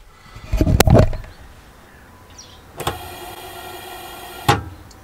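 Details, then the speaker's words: Truma gas heater burner in a motorhome, checking gas supply: a click as the knob turns, then nearly two seconds of steady, even hiss as gas arrives; gas flow normal and it lights. "So, jetzt kann ich hier mal eben gucken, ob hier Gas ankommt. Hört ihr das? Man hört es auch zischen."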